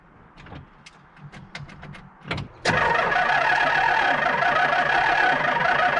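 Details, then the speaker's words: 1978 Pontiac Trans Am, first start attempt in years: irregular slow clicks, then sustained cranking with an uneven beat; owner suspects a couple of weak cylinders, doesn't start. "well it definitely sounds like there's a couple of funky cylinders as she turns over there it's not uh it's not spinning evenly"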